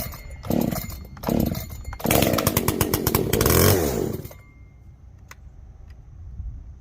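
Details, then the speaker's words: Echo CS-590 chainsaw, first start after carb rebuild with limiter caps removed for full adjustment: short blips, then a harsh, buzzy full-throttle scream that cuts off abruptly. It runs lean, and the high jet is opened a whole turn. "doing some weird stuff me thinkings it needs highjet here we go hey needs lots more fuel give it a whole turn"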